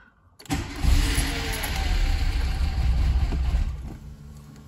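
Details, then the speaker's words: VW Golf after fitting a new petrol pump that primes audibly: starter cranks, the engine catches and runs roughly for a few seconds, then stalls, no better than with the old pump. "well, it started but then stalled again, so that's no better than we were with the old pump."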